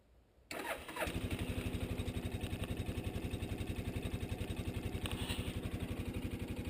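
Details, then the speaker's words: 1988 Suzuki Quadrunner 300 ATV, cold start in about mid-20s to 30s °F after long sitting, full choke via pulled knob: brief crank, catches in half a second, settles to steady even single-cylinder idle; normal cold start, owner says it would never start without full choke. "so it's as cold as this out here it would never have started unless you have that full choke"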